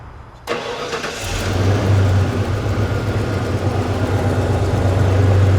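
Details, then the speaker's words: 1993 Ford F-150 on its third engine in two years, just started and warming up: lumpy idle with uneven low pulses, about three a second. A misfire at idle. "I got a misfire. Just letting I warm up here for a minute."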